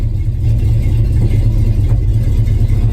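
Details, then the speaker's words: 1974 Ford F-250 V8 with new mufflers fitted (one side only mocked up, not fully bolted): deep, even, mellow exhaust rumble holding steady through the rev, no ticks, rattles or blowing; normal exhaust note, street-legal tone. "Yeah, that's perfect. That's the sound I was looking for. It's still got a good sound to it. Still got a nice tone, but it's not so overbearing where I'm not going to be able to get it past with the DMV."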